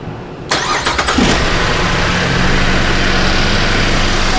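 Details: 2013 Chevy Impala LTZ no-start with ignition relay low-voltage codes P1682 and P0689, fault traced to the power distribution box. Starts while tension is held on the relay: brief cranking, then clean catch and steady idle.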